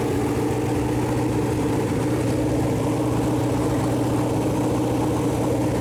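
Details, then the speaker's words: Freshly built Chevy Performance 454 big-block V8 on a run-in stand, first start, temp around 190, good oil pressure: settles into steady even idle, strong low rumble, no knocks or misses; normal idle and revving. "well all right so that's the first fire up of her got all the header paint about burned off now"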